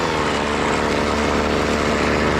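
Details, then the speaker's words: BC 2500 LE two-stroke trimmer, long unused, running after its loose cylinder head (lost compression) was fixed: a fast, steady buzzing idle that keeps the head spinning. Idle speed is probably set too high. "that means my idle is probably a little too high. Let's get that turned down."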